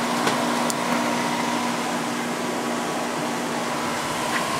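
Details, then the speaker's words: Idylis 12,000 BTU portable air conditioner in basement, low fan, 7.3 amps and 767 watts: steady even compressor and fan hum with constant low tone, no knocks or rattles; head pressure built, unit running normally. "Okay, I think this one is all good to go. It seems to have built head pressure completely, or at least as much as it's going to get in this basement."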